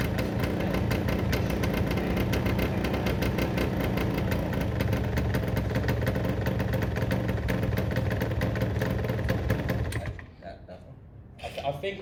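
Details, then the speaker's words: Derbi 100cc two-stroke after carb clean and fresh premix fuel, choke left on: uneven burbling idle with irregular beats for ten seconds, then dies; rough running on choke, spark plug very wet and dark (fouled), cleaned before restart with choke off. "all right guys clean the spark plug it was very wet and dark this should fire straight back up with the choke off this time"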